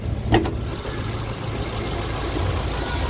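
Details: Ford EcoSport idling normally after a radiator service: a low, steady hum with no irregular knocks, and the radiator fan runs only briefly.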